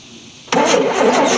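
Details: 1973 Chevy C10 squarebody, not run for 27 years, after tightening the battery cables and fed fuel by hand; the owner had spark earlier and hears compression: steady starter churning with no firing at all. Cranks, won't start; cause suspected, not confirmed.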